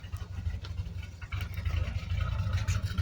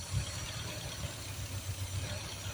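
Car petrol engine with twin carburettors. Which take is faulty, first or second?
second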